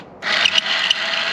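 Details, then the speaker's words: Honda S2000 flood car, convertible top motor on bench test: spins up with a harsh scraping grind and sharp rattles instead of a clean whir; this top motor is failing, the replacement runs quiet. "yeah that it's not supposed to sound not supposed to sound like that yeah it I mean it's it's dying yeah look at it it's it's dying"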